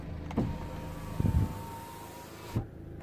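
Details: 2009 BMW 123d E87 2.0 diesel driver's window after cleaning the window motor, with no parts replaced: smooth continuous motor hum for about two seconds with clunks at start and stop; normal power window operation.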